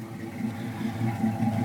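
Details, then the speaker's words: 1980 Trans Am V8 with true dual 2.25-inch exhaust and original 40-series Flowmasters, choke possibly sticking: deep, even burble at steady idle through both pipes, no knocks or misses; sounds healthy. "sounds pretty bools to the Head"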